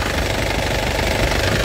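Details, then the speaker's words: Isuzu Panther LS Turbo diesel, late 2007, about 103,000 km: steady, even diesel clatter at idle, no misfire, stumble or tapping, no oil leaks, exhaust still white; engine judged healthy. Normal idle. "jadi Insyaallah tidak ada mobusnya mesinnya benar-benar sehat Lur Insyaallah tidak kecewa"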